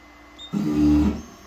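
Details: Anycubic 3D printer, owned about a year, makes a short harsh grinding buzz with low motor hum while homing and struggles to reach home; the noise seems to come from the height axis. Owner suspects a failed motor or the end stop, unconfirmed.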